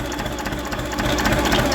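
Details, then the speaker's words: Diesel engine idling, started cold: a dry, uneven crackling rattle from the dynamo. Its bearings are worn out, it is not charging (warning light stays on, about 1 V on the meter), and it is to be replaced with a dynamo or an alternator. "prądnica jest łożyska są wywalone słychać jak trzeszczy to jest wywalona końcówka i w ogóle jest jeden volt tylko wytwarza na mierniku"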